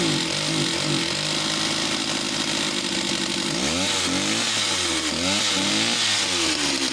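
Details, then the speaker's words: Stihl 041AV West German chainsaw, needing some TLC: engine pitch wanders up and down every second or so, surging as if going lean then rich. Cause suspected, not confirmed. "so she got that really interesting running like she's starting to lean and then richard's up but she's so complete so i hope she's a great project"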